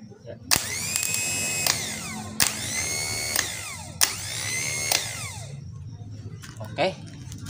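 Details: Kia Timor starter motor, which had struggled to start the engine when hot, bench-tested off the car after repair with its connection reinforced by two nuts: three short whirring spins coasting down in pitch, no grinding or dragging; starter healthy.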